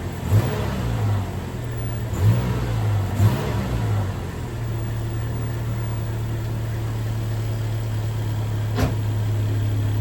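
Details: 2002 Toyota Tacoma with 270,000 miles, after coil pack replacement and vacuum line fixes; it catches with a few throttle blips, then holds a steady, even low idle with no miss or knock. Normal idle.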